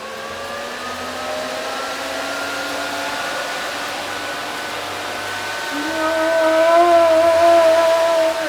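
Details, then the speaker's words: Brand-new electric cooling fan for a 1947 Ford hot rod, bench-tested on a battery before mounting: steady whirring hum climbing smoothly as it spins up, no rattle; running normally. "so here's what it sounds like here's what it works like and this should be blowing the right way"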